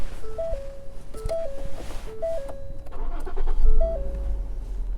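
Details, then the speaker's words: 2014 Ford Explorer base model, 99,000 miles, at a state surplus auction: engine starts easily and idles smooth and quiet under a door-open chime, no roughness or misfire; no check engine lights, though a code reader would not connect. "easy, sounds good. Smooth and quiet. Not seeing any check engine lights."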